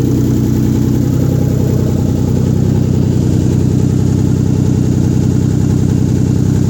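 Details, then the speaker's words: Rebuilt 1997 VR-4 first start-up after rebuild with downpipe not fitted (still needs welding): loud raw rumbling idle with harsh blatty unmuffled note; loud exhaust from missing downpipe. "no downpipe, that's why it sounds like butt."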